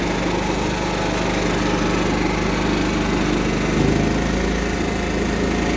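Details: Cub Cadet 1330 Kohler single, first run after long sitting, with a plastic piece removed from the tank outlet; steady, even patter at fairly low speed with no stumbling or misfires; runs smoothly.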